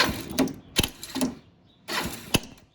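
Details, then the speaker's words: 1986 Kawasaki Bayou 300 starting attempt: short starter whirs with sharp irregular clicks, catching only occasionally, as the failed one-way starter clutch bearing slips. "Right there, boom. Clicking, it wants, that's the one-way bearing working, it wants to catch it, but it's not."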